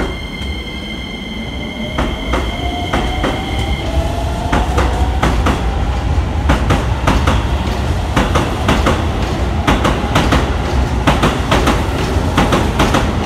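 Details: Riding inside a Keisei 3050 series commuter train, sharp thumps repeating about twice a second over rumble and motor whine: a wheel flat.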